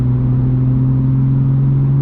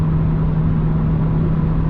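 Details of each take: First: BMW M2 with M-Performance exhaust cruising on the freeway at 3,000 rpm, before fitting silencer inserts: loud steady low boom at one pitch resonating into the cabin; exhaust drone. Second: BMW M2 with M Performance exhaust and silencer inserts fitted (fiberglass wrap advised), valves closed, comfort mode, cruising around 3,000 rpm: steady low hum with one even tone near 160 Hz, no booming; drone well controlled versus an earlier reading thought to be 72 dB.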